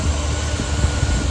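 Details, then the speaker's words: 2013 Chevrolet Silverado 2500 HD, 6.0 gas V8, 57,8xx miles, just after replacing spark plugs (gapped 0.040"), plug wires and heat shields, running 15–20 seconds: deep, even rumble with a steady beat, no misses or ticks; normal idle. "it sounds good so I think I'm going to leave it at that"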